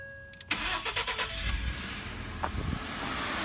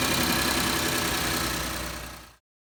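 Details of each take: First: 2012 Ford F-150 XLT 3.5L twin-turbo EcoBoost, about 64,000 miles, cold restart after exhaust manifold gasket repair: quick crank, clean catch, smooth even idle; sounds much cleaner than before, only injectors opening heard, no knocking. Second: 2012 Ford F-150 XLT 3.5L twin-turbo EcoBoost, before repair: rough idle with fast dry ticking puff on exhaust note; bad knocking from passenger side on startup, chirping on acceleration, identified as exhaust manifold gasket leak.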